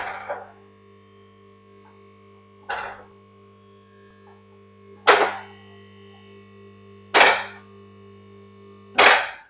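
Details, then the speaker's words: Autobench car lift raised to full height over a steady pump hum: five sharp clunks about every two seconds as the safety locks drop into place, which stop the lift coming down if the hydraulics fail. Normal safety lock clicking. "right you can hear that clicking if you watch this down there you'll see they lock into place so that clicking is these safety brakes here"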